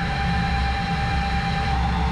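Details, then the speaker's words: DN Solutions TT twin-turret CNC lathe with boring bar at lower speed and depth of cut reduced from 30 to 20: thin steady high squeal over machine rumble, the bar still chattering and surface finish still poor. "can still hear her screaming in there a little bit still not ideal probably not giving us our surface finish we want"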